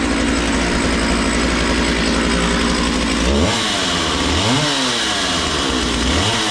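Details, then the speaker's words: Makita DCS 6401 two-stroke chainsaw, unused 10 years, running with filter and bar fitted after warm-up; steady high buzzing idle then clean quick revs up and back down without stumbling, healthy running. "always let it warm out real good before you rev it all the way up"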